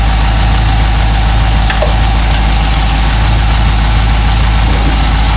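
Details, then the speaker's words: Cadillac CTS-V LS V8 with long-tube headers after tightening bracket over broken header bolt: deep steady idle, even low rumble, no ticking or puffing from manifold; leak stopped, normal idle. "Yeah, it sounds good now. So there you go."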